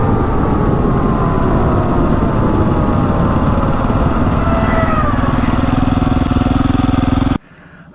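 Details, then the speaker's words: KTM 400 EXC dirt bike after the bogging fault was traced to fuel, not electrical, and fixed: single revving cleanly and pulling hard under load with no bogging, slight backfiring; owner thinks it's slightly lean and may fit a 165 main jet. "right so finally this thing's fixed I might put a 165 Main in it cuz it sounded a little bit lean very hardly noticeable but uh it's it flies now so I'm really happy with that"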